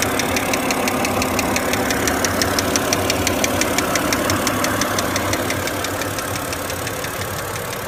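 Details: BMW engine knock at idle: a sharp, regular tick-knock about three times a second, steady throughout; internal source undetermined.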